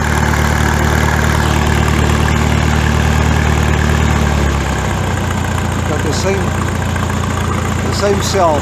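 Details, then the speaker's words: Farmall tractor after exhaust modification (cut-down pipe reworked): deep, steady low exhaust thrum settling to an even, unhurried idle beat; full solid note, original deep sound restored and sounds bigger. "as previously it's a nice deep sound and i think foreign it sounds much bigger"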